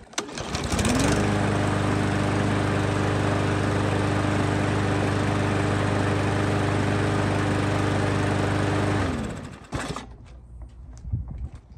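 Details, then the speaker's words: Troy-Bilt TB110 mower with Briggs & Stratton plastic carburetor, reported to shut off after a while, first start before carb cleaning: steady even drone for about eight seconds then clean shutoff; runs normally, no black smoke. "so it seems to run okay at least with that first start there's no black smoke or anything"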